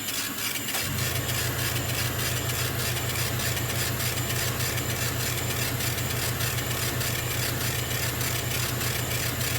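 A steady low hum with a constant airy hiss running throughout: the air assist compressor is working normally during the cut.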